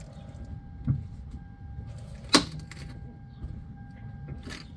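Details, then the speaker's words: Toyota jacked up, engine off, cold, wheel turned by helper: two sharp hollow pops about a second and a half apart; front strut top mount corroded and seized so it can't rotate, not the steering shaft. "it made those huge pops and and booming noises"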